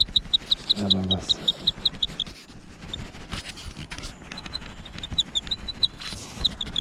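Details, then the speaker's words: Cube Stereo Hybrid E-MTB: sharp high plastic chirps, about three per second, as a GoPro holder on the chest strap is rocked. The loose mount has play and squeaks; the squeak came from the mount, not the bike. "die hat halt Spiel und wackelt hin und her und ich zeige es euch gerade mal da hört man das quietschen"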